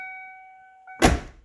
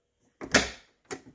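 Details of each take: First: 1990–1997 Lincoln Town Car door with a replacement striker bolt and bushing: a single solid thunk as it closes and latches easily, with no rattle or double clunk. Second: 1990–1997 Lincoln Town Car door closing: hollow click and the door bounces off rather than latching unless slammed, because the door striker bolt bushing is gone; fix is replacing the bushing.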